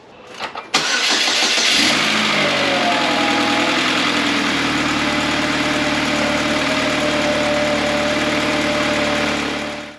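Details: Chevy Cobalt after timing chain replacement, with coils and spark plugs refitted: quick crank, catches cleanly and settles into a smooth, even idle with no ticking or rattling before shutting off.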